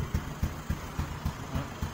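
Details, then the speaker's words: Honda 67 SS50 single, kick-started because of a weak battery, idles with soft, low, evenly spaced thumps and hardly any mechanical rattle; engine very quiet, though it appears to have been opened up. "Máy thì im thật. Bạn nghe kỹ lên nha, im."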